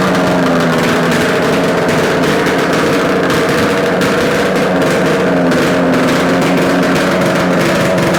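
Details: Yamaha RD250 two-stroke twin on a test-stand mount with total-loss ignition, running after coil wire swap and carb adjustments; busy, crackly buzz holding steady, no knocks or rattles; running cleanly, likely a good engine.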